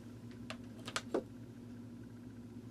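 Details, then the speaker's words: Vintage Sears variable timer, model 796.66400 (Intermatic D111 type), after replacing the disintegrated main drive gear: faint steady motor hum with a few light clicks; starts without problem and runs normally. "started up no problem so the gear"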